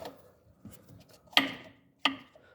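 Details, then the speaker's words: Fiat Palio suspension: two sharp, bright clacks of hard plastic on metal as the shock boot's hard top cap strikes the cup above when driving over speed bumps; owner plans cutting shoe-insole rubber pads to cushion it. "Essa coifa aqui, ela tem uma tampa aqui em cima, dura, e quando bate naquele copinho faz barulho."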